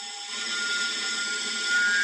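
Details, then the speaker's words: Thin, steady whistle over fan hiss from a Pigma Green condensing gas boiler at low burner power during fan ramp-up, reportedly absent at high temperature; gas line whistle, suspected at a gasket or narrowing at the gas connection. "І виходить свист такий стоїть. От газ йде зі свистом. І, кстати, кажуть, що при великих температурах, коли включають, не свистить. А от іменно при малих, при розгоні вентилятора свист."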